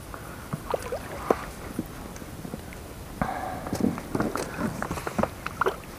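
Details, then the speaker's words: Pelikan boat oarlocks after greasing with CV-joint grease, previously squeaked badly: steady rowing strokes with splashes and soft knocks, no squeal; oarlocks now quiet. "удалось наша затея не скрипят уключины повторяю смазывали во смазка шрус для шарнира угловой скорости все пропало"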